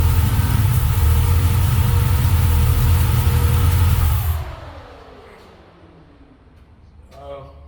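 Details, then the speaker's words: 1978 Chevy Malibu, carbureted rebuilt iron-block LS 6.0 (505 hp) swap, roller cam and lifters, fresh 5W30 dexos: first-start idle while building oil pressure (40 lb), a deep even rumble, then a clean shutoff; no knocks or ticks. "this thing still has a roller cam shaft and it roller lifters so that's all that's necessary so we'll start it up let it build oil pressure and then check the [Applause] level"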